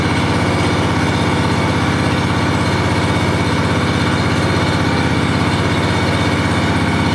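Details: John Deere 757 mower owned since new, first start of the year after sitting since last fall on fresh gas: fires right up and holds a steady, even idle with no misses or knocks; normal running.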